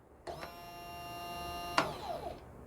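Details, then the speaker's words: Electric fuel pump motor removed and bench-tested on a power supply: clean, steady high whine held for over a second, then cut off; a good working pump, unlike the bad one that gave no buzz. "as you can see this fuel pump it's a good working condition"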